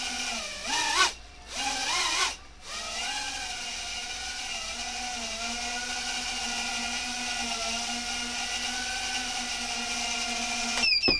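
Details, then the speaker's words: Repaired micro quadcopter hovering on discontinued micro motors: a steady layered whine with an odd rough edge. Source is unclear; owner suspects a motor bearing. "know what that sound is it might be like a bearing in the motor I think but I don't know for sure"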